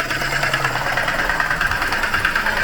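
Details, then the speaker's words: Vauxhall Crosland X idling with rapid even clatter and gritty high-pitched whirr from the air-conditioning compressor; suspected failed compressor bearings or clutch, belt removal planned to confirm. "think the bearings and that air conditioning pump, or the clutch itself, has failed."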